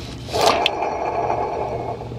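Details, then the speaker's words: AC compressor pulley turned by hand with serpentine belt removed: dry gritty dragging scrape for a couple of seconds and it barely spins; bad compressor bearings, whole compressor to be replaced. "this is what the ac compressor sounds like there's bad bearings in there also it doesn't even spin very far"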